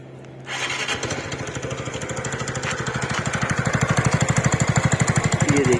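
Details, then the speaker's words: TVS Ntorq scooter engine ticking over: steady tick-tick knock, about three per second, from the rotor/fan area. Caused by a loose one-way starter clutch. "यह जो कटकट की आवाज आ रही है"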